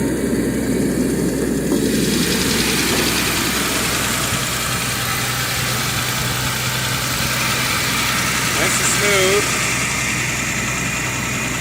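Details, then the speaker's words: 1990 Jaguar XJS Convertible, engine idling steady and smooth with no knocks, misses or ticks: normal idle, runs like a top. "no weird lines or anything like that just runs like a top"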